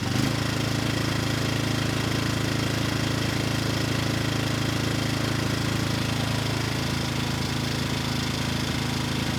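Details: Rebuilt Briggs & Stratton engine, model 210312-0159-E1, with under 50 hours from new when it failed from running out of oil, slight cylinder damage: even, steady single-cylinder beat with a firm low thrum, easing to a slower pace near the end; normal running.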